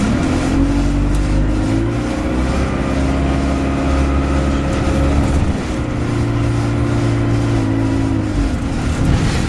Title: Arriva 1050 with loud ticking noise